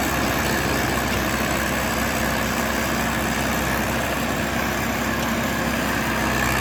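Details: John Deere 450C bulldozer diesel, warmed up after reassembly, relief pressures set and fluids topped off, backing out of the shop: a smooth, even drone under steady load with no knocks or misses; normal.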